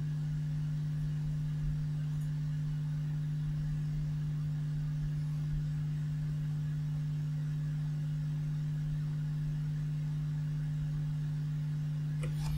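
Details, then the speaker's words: Vintage 1970s Marshall 6400 mixer amp under repair: a steady low hum at one pitch, matching the ripple traced on the output transistor emitter where the speaker attaches; mains hum getting into the amplifier. "and now you see it okay so you can see this home is there such the power connection of the transistor yes a little bit of a ripple on there"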